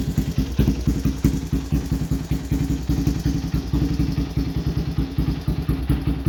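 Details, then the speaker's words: Raptor 700 single-cylinder ATV idling just after an NGK CR5 racing spark plug cable install; uneven, lumpy thumping with some clatter. Owner says it idles funny because of other recent work and it needs a new tune. "And I will say before I crank it up, if y'all hearing it idle kind of funny, it's because I got a little more work done that I need to update y'all on, and I need a new tune."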